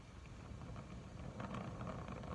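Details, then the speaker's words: Oxy-acetylene brazing torch with acetylene and oxygen both at about 4–5 psi, used during a Husqvarna 298 chainsaw top-end rebuild: a small flame gives a soft, low, steady rushing with no hiss spikes or popping, not too hot. Normal neutral flame. "I don't get my flame too big on these. You kind of hear it rushing a little bit. Right there. It's not going too hot. I don't get too much of a rushing noise."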